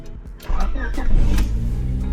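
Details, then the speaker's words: 1999 Honda Civic four-cylinder dirt-track build with the muffler chopped off: the starter catches quickly into a loud, raspy open-exhaust idle, a normal start. The owner suspects an input shaft bearing from a noise that appears when the clutch is released. "sounds normal, right? Sounds kind of cool cuz the muffler is chopped off right now."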